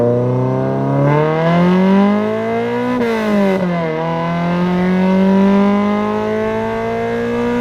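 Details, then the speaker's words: Engine-swapped Corolla test drive after the clutch master-cylinder adjustment screw was set all the way back: revs climb smoothly, drop cleanly at each shift and pick up without slipping; owner suspects earlier slippage was from clutch heat on track. "Alright, so you guys just saw the footage of me driving it after adjusting the screw all the way back, and it seems to be engaging and releasing at the proper point."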